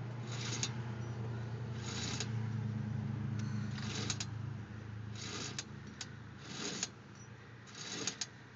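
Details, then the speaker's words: Car with the front driver's side wheel off: quiet rolling with repeated scraping swishes about every 1.5 s and sharp clicks tracking wheel rotation, like a marble dropping; owner suspected brake pads but they aren't worn to metal, and the sound seems to come from farther back. Cause unclear. "hear like it sounds like i'm marble dropping right after i stop you here click click after that"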